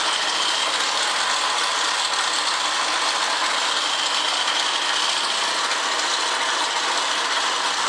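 A fast, dense metallic clatter rides steadily over the running engine with no letup; some internal mechanical noise, cause still unknown.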